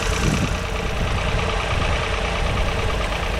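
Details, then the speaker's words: Vauxhall Corsa 1.0 Ecoflex after new valves, head gasket and timing chain: smooth, even, quiet idle with a steady low hum, no knocks or ticks, like a sewing machine; slight exhaust blow noted; running healthy. "Sounds really nice. Like a little sewing machine. Quiet."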